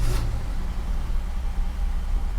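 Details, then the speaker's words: 1969 Mercedes 280SE first start in 18 years, after a mechanical fuel injection pump repair and timing, fed from an external tank, transmission in park: rough, lumpy start settling to an uneven low idle. Wheels still tried to move; rough running, cause unconfirmed. "oh she's a little rough she is a little rough transmission is trying to move I don't know why"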